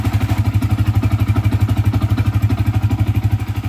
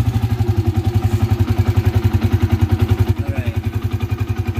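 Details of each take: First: Yamaha FZ single after replacing a burnt magneto coil that caused an engine humming: steady even thumping idle, humming gone; normal idle. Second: Yamaha FZ motorcycle at idle after starting: deep steady drone from the engine under an even putter of about three and a half beats a second, sounding like a bearing problem; owner says it is a common small issue, cause not confirmed.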